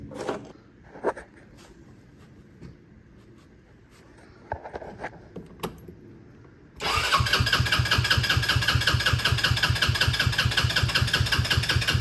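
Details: Hammerhead R-150 side-by-side, GY6 150cc, after replacing a carburetor that would not stay running with a new 24mm manual-choke carb. Engine catches at once into a steady, even single-cylinder idle; normal start and idle.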